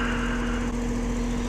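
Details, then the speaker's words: Goodman AC condenser: steady fan motor hum with low rumble, compressor not starting; failed capacitor (4.8 on fan, nothing on hermetic side). "I Yep. No compressor. We got ourselves a bad capacitor."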